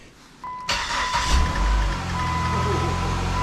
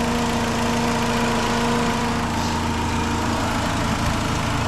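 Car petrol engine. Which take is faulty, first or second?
second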